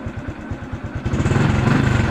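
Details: Honda Blade 125 fuel-injected motorcycle after replacing a blown fuse that had killed the fuel pump and neutral light: steady, regular low chuff at idle picking up smoothly, no stumbling or knocks; running normally.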